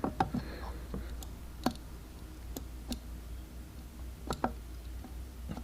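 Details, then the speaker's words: 1991 Volvo 240 with idle problem: sharp single clicks as the throttle plate moves, throttle position switch aligned correctly and clicking at idle contact. "you align it until you hear it click and then when the throttle plate turns you hear it click that's all it really is"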